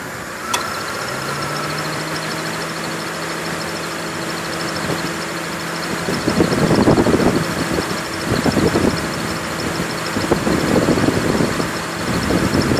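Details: 2002 Honda Accord idling with a thin steady squeak turning into rough chirping bursts: AC belt squeal; fixed by changing belts, replacing a leaking low-side Schrader valve and recharging AC (only 0.5 of 1.5 lb R134a remained).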